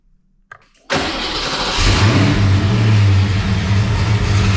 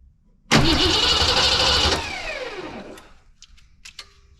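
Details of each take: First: Foxbody Mustang project car V8 with a freshly installed drivetrain, off-road H-pipe and O2 sensors, cranks briefly and catches, settling into a deep, even burble idle with no misses; burning residue off the exhaust manifolds, clutch fan not connected, timing not yet set. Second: Foxbody Mustang project car on its first start after a fuel pump wiring issue was sorted: engine catches with a sharp pop backfire, runs roughly about a second and a half, then dies; owner thinks it is very low on fuel.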